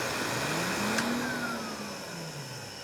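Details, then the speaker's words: K-9 force dryer from Electric Cleaner Company, front motor, case unopened: motor whine sweeps down as it coasts to stop with rough rumbling rattle underneath, electrical sparking heard earlier; bad front-motor bearings suspected – bearing noise. "as that winds down, we hear a lot more noise coming out of the bearings. So we very possibly have a bad motor in the front of this, and we haven't even opened up the case yet."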